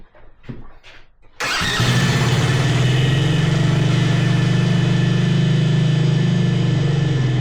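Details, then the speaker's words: 125cc single-cylinder drift trike engine: a few faint knocks, then it catches and settles into a steady, even idle beat with no odd noises; throttle works and it runs. "The gas switch works, too! It runs!"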